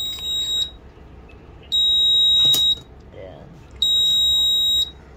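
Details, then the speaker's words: Smart charger sounds long high-pitched beeps about every two seconds after cutting power on over-temperature, cable temperature heated past a 33° setpoint; emergency stop button pressed. "so magoo logout siya natin to rito so auto charge out siya first charge out kasi nagoverheat then so emergency button was pressed Please release the button"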